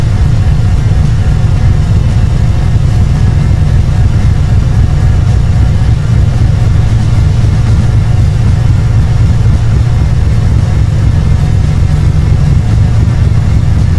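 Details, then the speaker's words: Chevrolet Camaro Z28 V8 with a stalling issue, first start in 2–3 months after a new distributor and radiator (timing spec 6° at 700 rpm): loud, deep, lumpy, unsettled idle with timing a bit off, likely not advanced enough. Rough idle. "okay while it's running you can hear is pretty ly the timing is a bit off that's okay"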